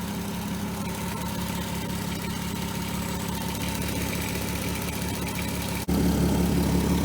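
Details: 2003 Volkswagen Eurovan VR6 idling after replacing timing chains, guides, sprockets and timing: steady, even idle with smooth low hum, the earlier tap-tap chain rattle from the engine front gone; normal idle.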